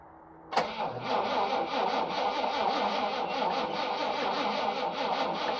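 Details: 1979 International Harvester ACCO 510A 4x4 truck, V-345 (5.6L) petrol V8, about 28,900 on the odometer, not started for about two weeks: catches instantly on the first crank, then settles into a steady, even idle with no misses or knocks; a normal cold start.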